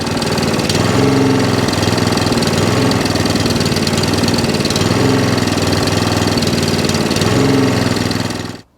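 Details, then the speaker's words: Allett Kensington cylinder mower, Kawasaki FJ100 single-cylinder, before carb and fuel system clean; slight miss, governor arm on carb moving. Revs sag and climb every few seconds: engine hunting and surging from fuel delivery fault. "you can hear the engines dropping and the machine not running as sweet as it should so as you can hear the reds are dropping up and down"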